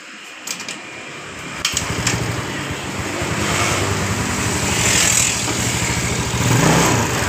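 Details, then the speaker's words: Rebuilt Yamaha Mio Sporty scooter engine, valve clearances checked normal, refitted to the frame and started to confirm the rough noise heard before teardown is gone. It catches and runs smoothly and steadily with throttle, with no rough knocking. "jadi seperti ini selesai kita pemasangan dan kita pasang di bagian rangkanya dan kita hidupkan untuk menghilangkan suara kasar sebelum kita pembongkaran kemarin"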